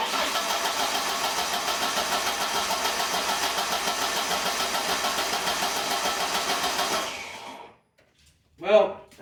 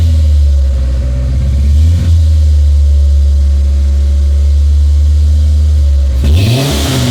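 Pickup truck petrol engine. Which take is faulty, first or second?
first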